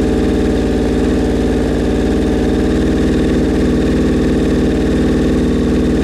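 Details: Suzuki Bandit 1200 at its first start after a rebuild, on choke with the idle raised from very low: a low, lumpy, loping idle. The owner says the carbs are out of whack and unsynchronized.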